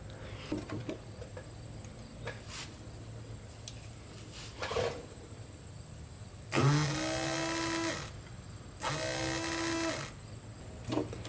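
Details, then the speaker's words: 1986 Porsche 944 Turbo (951), no-start after cutting out and sitting over a year: fuel pump disconnected and jumped directly with 12-volt battery gives two short bursts of steady high electric whir, starting and stopping cleanly. Pump works; owner suspects bad wiring blowing a fuse. "Alright, well, the pump does work when you jump it."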